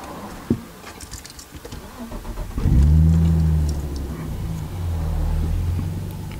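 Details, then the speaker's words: Nissan R34 Skyline, about 123,000 on odometer, first start after months sitting: catches after a few cranks, then idle drifts up and down searching for a steady speed; cold-start idle hunting. "there you go you can see it searching for the right idle rib"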